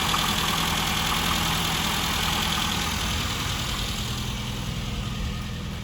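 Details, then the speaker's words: Classic Mini engine running after revival from nearly two years of storage; it started quickly once the fuel pump and tank were refitted. Even, steady note with a regular beat that slowly settles lower, no misfire or rattle: normal running. "sounds okay too actually started really quickly after putting it back together"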